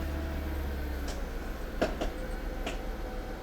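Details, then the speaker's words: Mercedes SL500 R230 during slow low-speed steering: about four sharp isolated pops over a quiet low hum; owner suspects a worn ball joint at the bottom of the front strut, not confirmed. "Yeah, that's horrible. Yeah, for my research, that is the ball joint on the bottom of the strut. They go bad."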